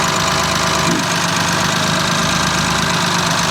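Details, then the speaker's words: BMW M3 F80 with a newly installed race motor and new turbos, first start, flex fuel on E30, with normal new-turbo smoke: rock-steady, smooth idle with no stumble or knock, running healthily. "all right so far everything is great i don't know if you can hear not but rock steady idle look at it"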